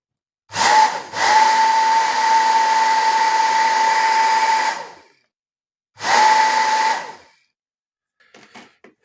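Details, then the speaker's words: Professional hair dryer after motor replacement, short runs on speeds one and two without heating: smooth, even fan rush with a steady high motor hum, no rattle or grinding; the new motor runs quiet and healthy. "i wstawiłem silnik fajnie chodzi cicho spokojnie nie dobra"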